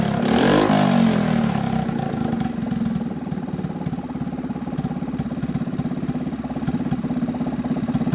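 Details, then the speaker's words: Honda CT70 HK0 single-cylinder, a revived previously stuck engine, after carburetor cleaning and opening the barely-opening points. After a brief rev it ticks over with a quick, even beat near 300 per minute, steady and clean. Runs fine. "So I adjusted the points a little bit, opened them up, and she's running pretty good."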